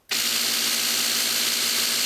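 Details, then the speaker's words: Genie Intellicode screw drive garage door opener with broken carriage: steady high motor buzz, louder than usual, screw still turning freely with no load change but door will not move or open; fix is replacing the carriage. "you can see it had bigger noise but the do did not move at all the screw still tury but but the door just just will not uh open"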